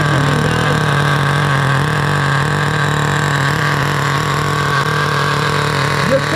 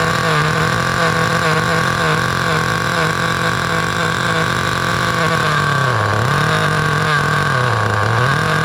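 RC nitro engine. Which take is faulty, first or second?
first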